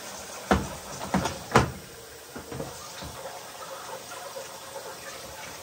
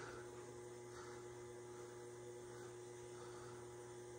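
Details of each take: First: Amana front-load washer with LF code, hot fill on heavy duty cycle: steady hiss of water flowing in with a few scattered drum clunks, hot water valve at top humming; hot side filling normally. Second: Amana washer showing LF code: hot/cold water inlet valve at top rear hums steadily while water barely trickles in; failing inlet valve (WPW10212596) needs replacing.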